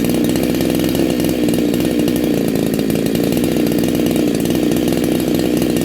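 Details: Neo-tec NH872 chainsaw (372XP clone) with a big bore kit, on a cold start during its second heat cycle. A steady, crisp two-stroke buzz holds an even pitch without stumbles or misses, sounding awesome and strong.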